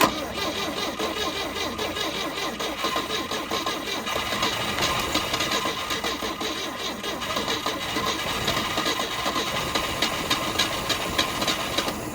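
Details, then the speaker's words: 1971 Volvo 142, 4-speed manual, 200,000 miles, coil measured 6 ohms, spark confirmed: ragged, uneven firing that stumbles and won't settle to idle; owner suspects lack of fuel or not firing on all cylinders. "Alright, well, we definitely got spark. We just don't have fuel now. I don't know if we're not firing on all cylinders or we just don't have enough fuel."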